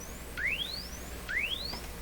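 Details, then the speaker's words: RCA Victor 67V1 console radio after replacing its paper audio capacitors, including the tone control capacitors, run on a dim-bulb tester: two clean rising tone sweeps with no hum, crackle or distortion. "both the same volume level i'd say"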